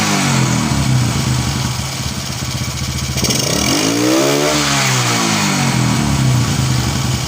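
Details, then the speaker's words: Honda Karisma / Supra X125 motorcycle at idle, before valve adjustment: idle wanders, sagging and swelling in pitch and nearly dying; unstable idle caused by valves set too tight with no clearance. "Nah itu biasanya disebabkan oleh setelan katup atau klep yang terlalu kencang ya adanya diet tidak punya gap atau celah ya"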